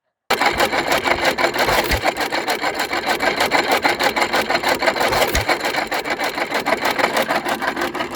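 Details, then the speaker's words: Newly assembled Hercules Model S stationary engine running on stock governor spring with fast harsh timing-gear clatter and occasional heavy thumps, louder when dry; gears meshing too tight. "all right time to fix these noisy gears"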